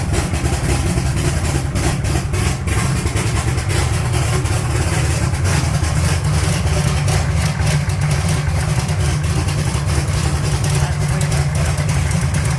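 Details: 1980 Trans Am with 80mm turbo, first start after fuel pump returned from Aeromotive repair: deep, even, lumpy idle with steady low rumble and no misses or knocks; engine running cleanly.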